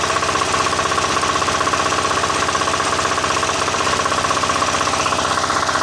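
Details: Diesel engine that wouldn't start, after refitting the injector pump and bleeding fuel from the line: even, steady diesel beat about four pulses a second with no misses or knocks; now running cleanly.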